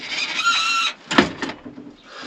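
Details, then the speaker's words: After lubing everything, removing a bolt and nut, separating the parts and applying silicone, a thin high squeak under a second remains as the part moves, followed by a few clunks; still squeaks slightly but is improved. "well I have lubed everything up I've removed this bolt down here this nut and just separated everything and silicon and that's as good as I can get it still a bit of a squeak but not as"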